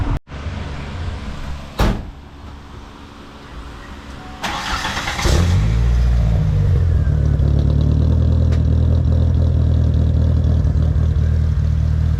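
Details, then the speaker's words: Ford Ranger after welding in a cherry bomb muffler and piecing the exhaust back together; cranks into a lumpy idle with a thin airy whistle over the exhaust note, exhaust leak. "I can hear it leaking pretty bad. It's more like a air whistling noise than actual exhaust note."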